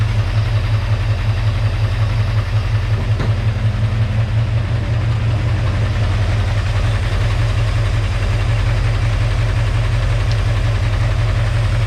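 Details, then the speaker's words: 1946 Chevy pickup, 350 small block V8, first start, near 193°F head temperature, oil pressure about 20 psi, timing not yet checked: steady idle with light regular ticking, about three per second; lifter noise. "bit of lifter noise too scared to go anywhere near that now"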